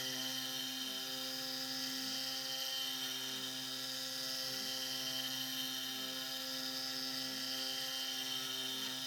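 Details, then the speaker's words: SX2.7 CNC mill conversion with NSK ATC spindle cutting a lathe leadscrew handle: steady high cutting scream with a harsh uneven edge and slow swell on the ramp, rough strained cut, cause unknown. "That sounds awful. That sounds great. The tips look great. So I don't know what's going on with that ramp."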